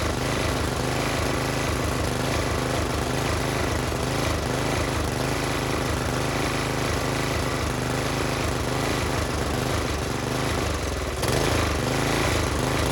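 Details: Briggs and Stratton tiller engine with new China-made carburetor, spark plug, air filter and fuel line, idle screw adjusted: single-cylinder runs steadily with an even busy putter, no misses or knocks; normal.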